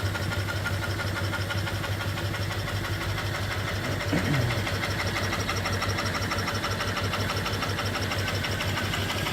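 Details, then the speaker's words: New 5 HP steam engine (3-in bore, 4-in stroke) with flyball governor and oiler, fed by 20-in copper-tube boiler: steady even chuffing about three beats a second, no knocks or clanks; normal running. "And uh It runs beautiful."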